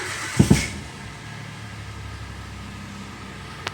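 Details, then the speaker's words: Peugeot 107 at 107k miles, bought cheap at auction, with a new exhaust, 3 litres of fresh oil just added and no service lights: quick crank, catches at once and settles to a steady even low idle, no knocks or misses. Normal start and idle. "There we go, fired up without a problem."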